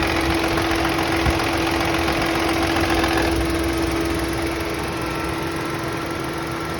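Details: Chevrolet Onix idling with a steady note, a faint regular ticking about four per second and a thin whine over it; source unclear, abnormal engine noise at idle.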